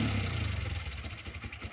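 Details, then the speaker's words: 2013 Yamaha Vixion motorcycle idling with a loud, rapid, drum-like top-end clatter, also smoking: valvetrain clatter from worn rocker arms, and a rocker arm needs replacing. "Saya akan menyebutkan apa aja ini Yang rusaknya suara motor Vixion berisik kayak gini saya bisa Udah bisa menyimpulkan ini ini yang harus diganti satu rocker armnya"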